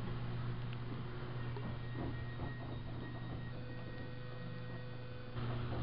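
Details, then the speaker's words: Otis 2000H in-ground hydraulic elevator installed 1990, very loud slow motor: a steady low electrical buzz under the car noise each time the door opens; source unclear. "what is that noise it makes this buzzing noise every time the door"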